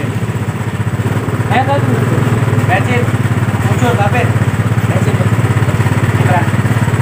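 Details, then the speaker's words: Yamaha Mio Sporty that was dead, started after carburetor service and spark plug refit; low single-cylinder putter with an uneven, slightly hunting beat; leak found at the membrane, to be repaired; unsteady idle. "Baiklah, jadi di bagian motor sudah menyala. Cuman ada kendala baru ya teman-teman. Ada kendala baru, yaitu ada kebocoran di bagian sini. Ya, lebih tepatnya ada kebocoran di bagian membran."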